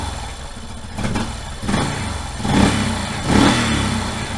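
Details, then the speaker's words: 1989 Yamaha Moto 4 YFM350ERW single-cylinder ATV on first start after head repair with new piston and head, choke off, breaking in: even idle, then three short clean rev blips settling back without knocks or misses; healthy running. "I ran it through a couple cycles so just letting it idle. I revved it up a little, cut it off, let it cool down."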